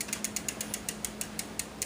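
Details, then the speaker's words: Newly installed SRAM X5 rear derailleur on a Mongoose bike in the lowest gear: sharp, regular ticking about five times a second as the chain wants to drop down the cogs. Cable tension is too slack and is fixed by tightening the barrel adjuster. "I'm in my lowest and you can tell right now it's wanting to come down the cogs okay that shows I need to tighten it"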